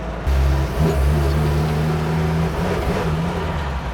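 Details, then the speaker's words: Old Chevy truck with HEI distributor, driving: idles fine but misfires under load with an uneven, stumbling drone that keeps dropping out and doesn't clean up with RPM. The electric fuel pump made no change; the owner suspects the ignition module. "No change at all. I don't know what's going on. You hear You can hear it dropping out though, right? It didn't do this before the module died."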